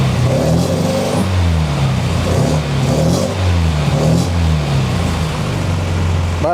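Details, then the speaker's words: MGB GT four-cylinder first start after Weber DCOE carburetor rebuild and fuel pressure regulator set to about 300 grams: revs rise and fall smoothly in repeated blips about once a second, no stumbling; runs smoothly. "that seems to work quite nice foreign we have come to the end of this video and I hope that you enjoyed it as much as I did everything seems to be running quite smoothly"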